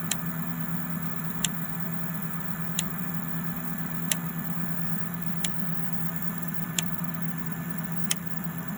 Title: Clicking Noise 03